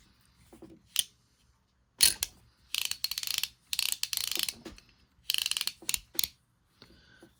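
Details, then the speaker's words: Dry rattly ratcheting with gritty gear chatter each turn from an Airex (Lionel) Vagabond Model 1 spinning reel, reassembled but not yet lubricated; main gear, pinion gear and where it rotates through the body lacking oil and grease. "okay it's lacking a little lubrication so let's go ahead put a little oil here where it rotates through the body and then let's go ahead and grease up the main gear and the pinion gear"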